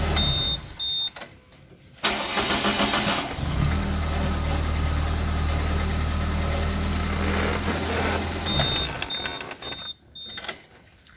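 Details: Suzuki Karimun kotak, after fixing a loose starter bendix cable that caused the no-start: starter catches at once, the engine fires and settles into a steady, even idle. Normal engine start.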